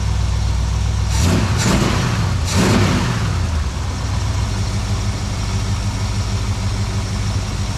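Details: 1972 Plymouth Valiant 318 V8, Holley 600 four-barrel refitted after fixing a rich-running fault: deep, even idle with a couple of crisp throttle blips that drop straight back to a stable idle, much better than before.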